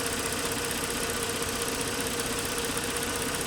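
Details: 2009 Lincoln MKS 3.7L, code P0305, ignition coils checked by oscilloscope: steady, even idle with constant hum and no stumble or skipped beats; coil being checked is working normally.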